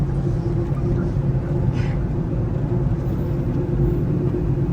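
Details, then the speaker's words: Ford F-150 run and driven after being seized and parked for 7 years: a deep, steady rumbling hum while rolling drowns out the engine, attributed to a worn wheel bearing. "I can't hear nothing over the wheel bearing."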